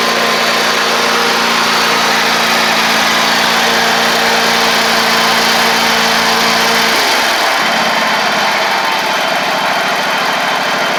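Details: Ferris stand-on mower with 2018 Briggs Vanguard 49E877 V-twin, after refitting an intake pushrod thrown by a loose valve guide bolt: smooth, even note holding steady then settling lower; both cylinders firing properly.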